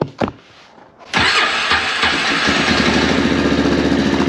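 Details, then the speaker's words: Engine on a 450 fitted with a new CVTECH clutch, fuel light on and tank nearly empty: it catches, then stumbles in an uneven pulse of three or four beats a second; sputtering the owner suspects is from running out of gas. "I'm out of gas. So my gas light came on. That might have been why it kind of blip, blip, blip, blip, blip."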